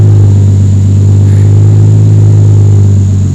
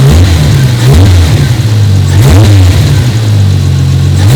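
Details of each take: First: 1993 Toyota Supra RZ JZA80, 2JZ-GTE twin turbo, Blitz ECU, not fully warmed: steady low idle drifting slightly up and down, no misfire; hunting idle, owner suspects vacuum leak or PCV valve, unconfirmed. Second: 1993 Toyota Supra RZ JZA80, 2JZ-GTE twin turbo, Blitz ECU and exhaust, cold and not fully warmed up, being checked for a misfire and hunting idle: revs up and settles back cleanly, even firing with no stumble or miss; normal revving.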